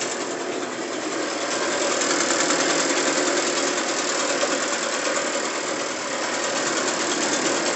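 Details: Echo PB580T backpack blower after fitting another Echo model's throttle, a different carburetor and new spark plug, no air filter, choke-started and warming: even high-revving two-stroke buzz, no stumbles or surging, healthy.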